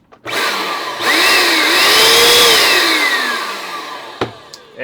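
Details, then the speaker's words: Hoover Power Dash Pet carpet cleaner after replacing the motor (which had been grinding and smoking), bench-tested before final assembly: the motor spins up to a smooth even whir and coasts down with no grinding; normal run. "that sounds a lot better than it did before with this motor"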